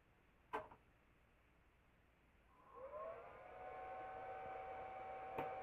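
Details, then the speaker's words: Commercial treadmill induction motor used on a bandsaw, run from a VFD and slowly dialed up after replacing its rattling bearings: smooth, clean whine climbing steadily in pitch, no rumble, growl or grinding; healthy bearings. "well I know you didn't hear it before but that is so much better"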